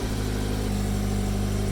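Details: 2013 Subaru BRZ started right after an oil change: engine settles into an even, steady hum at idle with no ticking or roughness; running normally.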